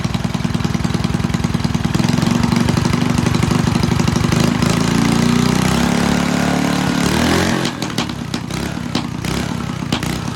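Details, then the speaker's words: Fun Power 5 hp Briggs single-cylinder engine of unknown year on a vintage Fox Campus minibike, which the owner notes smokes but otherwise runs well: even popping, then easing to a lower speed near the end with regular firing throughout; healthy. "All right, so this is a Fun Power 5-horse Briggs. Unsure of the year and all that, but it runs good."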